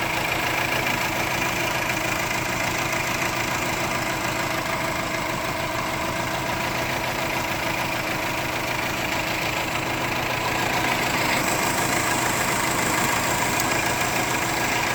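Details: 2004 Subaru Forester XT idling lumpily, an uneven pulse breaking the beat every few firings, with check engine light; cylinder 1 misfire persists after new plugs, coil pack and injector, timing checked, O2 sensor unplugged; cause unknown.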